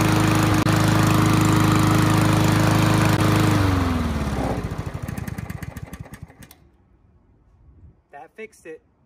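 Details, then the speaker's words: Push mower after reseating a loose, rattling spark plug wire that caused intermittent spark: a steady, even engine note holds firm, then winds down smoothly to a stop when shut off, running cleanly with no misfire. "for sure just a loose rattling spark plug wire causing intermittent spark and that solved it"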